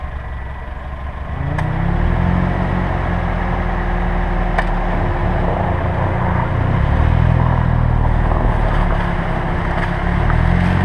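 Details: 2007 Pontiac Vibe / Toyota Matrix left front brake, new pads and lathed rotors three months earlier: faint steady groan only while braking, from bare pad-to-holder contact; greasing pads and holders fixed it.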